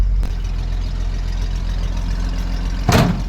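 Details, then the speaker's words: 1963 Chevy 2-ton dump truck, 292 six-cylinder, 4-speed, revived after 15 years with points cleaned, timing set and carb primed, running on its own old tank fuel: deep steady idle, even rumble, one brief clatter near the end; healthy. "Well, it's cool. She's running off her own old fuel. That's amazing."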